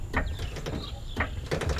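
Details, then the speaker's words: 2003 Toyota 4Runner V8, 273,000 miles, aftermarket one-piece strut-spring assemblies: short squeaky creaks as suspension drops and extends, gone once fully extended; strut mount rubber creak. "yeah I hear cren and see now that it's expanded the whole way the noise is gone"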